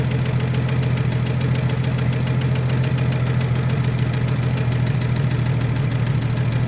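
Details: 1956 Chevrolet with 235 straight six, parked since 1989, first run on carburetor fuel: steady, smooth low idle with no missing beats, surging or exhaust smoke; idles healthy.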